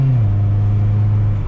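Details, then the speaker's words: Honda Prelude after a 5-speed swap, H23 engine running an H22 ECU with H22 injectors, on a road drive: a steady drone that pulls cleanly with no stumble. The earlier bogging is fixed, though it is not fast. Normal acceleration. "so it's not like it's super fast or anything but it goes so it's not bogging down anymore that problem is fixed now"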